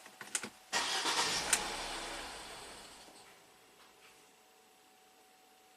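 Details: Ford EcoBoost van with intermittent P0106 MAP fault, cranked while watching fuel rail and intake manifold pressure: catches briefly then runs down and stalls within seconds from low fuel pressure; only P0106 set.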